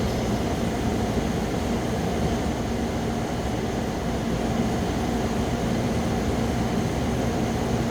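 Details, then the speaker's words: 8000 BTU Frigidaire window air conditioner, 2016, after a deep clean of clogged fins, compressor running: steady, even hum with a low compressor drone and smooth fan rush, no rattles or surging; normal. "Yeah, we just missed the moment we were waiting for. The compressor already kicked in and it's blowing,"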